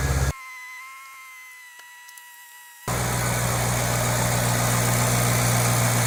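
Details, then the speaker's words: 2008 Ford Mustang GT convertible V8, cold start before an oil change on quite low oil; catches after a quiet pause, settles into even low idle with no knock or tick, healthy. "then we're gonna do a cold start right after I change the oil so I'm not going to let the engine heat up so you'll get a pure cold start"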